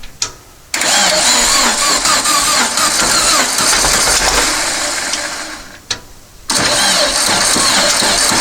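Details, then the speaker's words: Long-stored dune buggy/sand rail, fuel dribbled into the carb, cranking on a booster pack: two long dragging, sagging cranking bursts that never catch; owner suspects the booster pack gives too little power. "let's give her a little more help so i think we need a little more power than the booster pack's going to provide"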